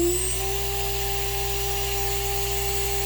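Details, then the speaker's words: Shapeoko Pro CNC 2.2kW HDZ spindle, VFD-driven, wide open at 24,000 rpm unloaded: clear high steady whine settling within a fraction of a second, no wobble or grinding; healthy. "So that's wide open on the spindle."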